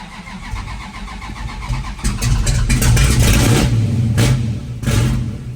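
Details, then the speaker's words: 1963 Dodge 330 with factory 426 Max Wedge V8, fired up after new battery install, timing set to about 20° base (factory distributor and curve): starter whirr, catches at once, deep even burble with two clean throttle blips; normal start and rev. "that's what it's supposed to [Music] do all right then it definitely started better with like 20° I could just kind of tell that's what this thing wants base"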